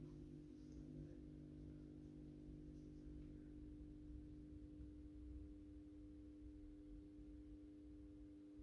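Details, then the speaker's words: AEG Minikoffer 80s mercury vapor streetlight, ballast rewired for a 125 W Osram Deluxe bulb, first startup: low, steady mains hum with even overtones, no buzz or rattle; ballast humming slightly, normal. "you can hear the ballast is humming a little bit"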